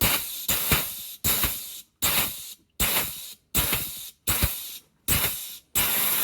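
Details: Pneumatic air grease gun with hard grease at about 100 psi: regular sharp air bursts about 85 a minute with hissing exhaust and no load on the stroke; air-locked, not dispensing grease, needs priming to purge air.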